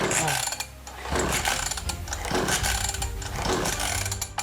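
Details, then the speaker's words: Old two-stroke mini dirt bike, being restored, with a small amount of oil-mix fuel added: four or five rough pull-over bursts with no catch. Won't start; spark is the next thing to check, suspected no spark. "okay that did not do it okay so I guess on to the next thing really all we can do now is check the partk that is the next major thing that we could check that will stop it from starting"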